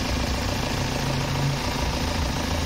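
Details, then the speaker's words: 2007 BMW 320d M Sport auto diesel, 182,000 miles, loud engine: deep heavy boomy drone at idle, steady; owner found an air intake part disconnected and suspects failed engine mount, plans duct-tape test; source uncertain. "but I'm going to do a DIY of just wrapping some duct tip around that and seeing if it makes it sound a whole lot better"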